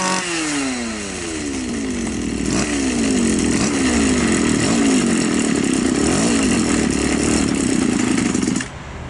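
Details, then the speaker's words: Two-stroke Champion grass trimmer with non-adjustable carburettor (only idle screw) runs with wandering revs then stalls at idle, yet runs fine under throttle; idle speed set too low, fix is raising the idle screw. "видим действительно глохне Хотя двигатель работает нормально на когда даёшь газ на мощности работает нормально значит нам просто надо немножечко подкрутить холостого хода"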